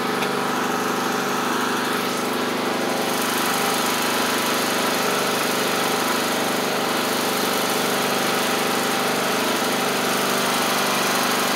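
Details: MTD Craftsman LT1500 riding mower after engine swap, new blades fitted: steady, even single-cylinder drone with blades spinning, no misses, knocks or surging; engine running healthy.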